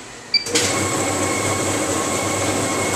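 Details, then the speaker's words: Duplo DC48T booklet maker during a cable and connector test: steady, even conveyor drive motor hum with a faint high tone after a start click, no knocks or grinding. Normal running. "so you can't see my conveyor belts running but you can hear the motor running on it"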